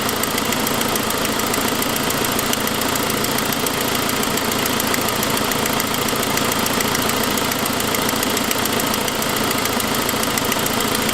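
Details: 2006 Saab 9-5 idling with a fast, light ticking over the hum, first thought to be lifter noise after a noisier turbo sound; the forwardmost exhaust manifold stud had broken, causing an exhaust leak.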